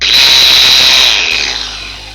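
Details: Angle grinder under repair: a loud, high-pitched whine that dies away as it winds down. The noise is unchanged after cleaning out the old, jelly-like grease. Abnormal running noise, cause not yet found.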